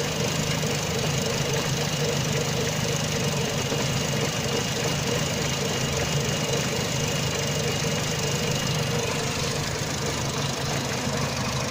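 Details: Renault Megane Mk1 petrol, hot engine, very rough idle, unevenly stumbling and knocking with steady hiss; fine when cold, power loss, no fault codes, short-term fuel trim -50 to -80%, long-term +25%, compression 14.25-14.75 bar; MAP, lambda, idle valve replaced, new coils no change.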